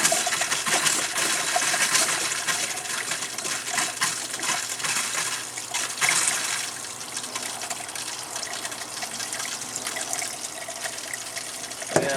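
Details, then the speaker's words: Camper shower with new Surflo 4008 pump, camper unused about 3 years: uneven spitting, gushing bursts as pressure builds then dies. Sputtering flow; owner suspects air or debris in the lines. "it's not really really got a ton of pressure it builds pressure then it goes dead again builds pressure and goes dead"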